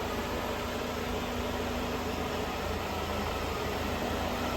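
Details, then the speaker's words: 1996 BMW 318i convertible after replacing the power steering pump, belt tensioner and idler pulley: a quiet, steady idle hum with no squeal, chirp or rattle from the belt or pulleys. Normal idle, noises gone. "and uh yeah, no more noises. This baby is done and ready to rock."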